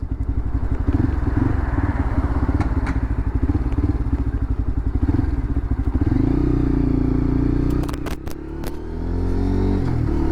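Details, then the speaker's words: Lexmoto LXR 125 SE motorcycle revving after the rattle fix: an even, low thumping beat rising smoothly with the throttle and no metallic rattle. The owner thinks the manifold caused the rattle; it and a weight-dependent noise are gone. "I had like so many things going through my head, but it was I think it was the manifold, if I'm honest. That's what I think it was. It's not there, it's gone."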